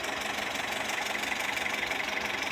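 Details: 2013 Toyota Etios at a steady idle with a light, rapid ticking puff from the exhaust side, noticed after refueling along with a bad smell and a burning smell inside the car. An abnormal exhaust noise whose source is unknown.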